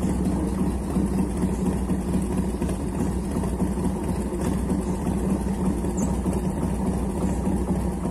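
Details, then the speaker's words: 1990 Harley-Davidson Fatboy Evo (yellow heads) after carburetor cleaning and refit. It would not start because fuel from the tank was not getting through the jet. Now a steady, low rumbling idle with even, unbroken firing and no stumbles or surges: healthy idle. "ใส่เสร็จก็เลยเอามาเทสเขาโอ้ยเดินเบาสังเคราะห์คันนี้fatboyEvoตัวปลาเหลืองตัวหัวเหลือง"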